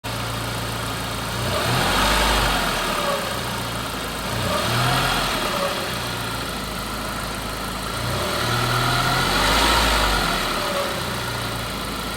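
Petrol engine idling evenly with a thin, steady high-pitched whine riding over it, pointing to a failing alternator rather than the turbo. Cause suspected, not confirmed.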